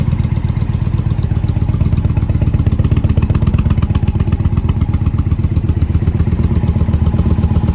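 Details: Indian Challenger after an exhaust pipe leak was sealed with Permatex high-temp exhaust sealant and the pipe refitted: even, steady idle pulsing about four times a second, with no ticking or puffing; healthy.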